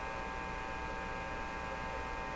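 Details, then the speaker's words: Marconi Model 295 AM/shortwave tube receiver, volume full: only steady mains hum and faint buzz while tubes are wiggled, no station or audio; band selector was probably on phono, not a fault. "Let's wiggle a couple of tubes, see if we can hear some sounds. I don't hear a thing."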